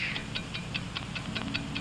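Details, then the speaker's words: Mechanical wristwatch: crisp, steady ticks at five per second with even spacing over soft music. Healthy, regular-running watch. "America's fine watch ticks steadily accurately on five ticks every second"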